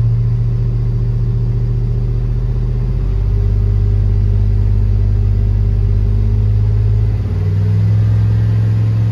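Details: Chevrolet Tahoe V8 idling with a steady low rumble, even beat and a slight step in speed partway, no knocks or ticks; normal idle after an oil pressure problem following an oil change was repaired.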